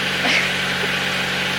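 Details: Neglected Nissan 100NX at idle after work to cure a misfire: steady even idle with smooth low hum, no stumbles or skips; misfire fixed, running cleanly on all cylinders.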